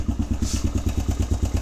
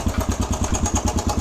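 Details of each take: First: Suzuki DRZ125 single at cold idle after resetting the cam chain tensioner: even thumping about seven beats a second, clear exhaust pulses, no top-end rattle; much quieter than before the adjustment. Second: Suzuki DRZ125 single at idle, after the cam chain tensioner reset: sharp light tick on every firing pulse, about ten a second, seemingly from the top end; owner suspects valves or cam chain; the tensioner adjustment made it much quieter.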